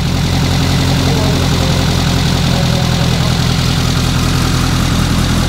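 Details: Renault R8 Gordini rebuilt engine restarted after a slight idle-screw adjustment on its first start, with no coolant yet: a steady, low, even idle with a smooth pulse and no knocks or misses. Normal idle.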